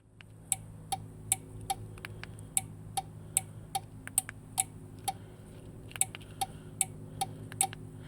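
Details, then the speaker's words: 2006 Suzuki Grand Vitara, aftermarket keyless entry module just wired: crisp paired clicks two or three times a second, probably from its two relays switching; normal relay clicking. "clicks, but I think That's because there's two relays in there, and there's these like lights that will flash once when the door is locked."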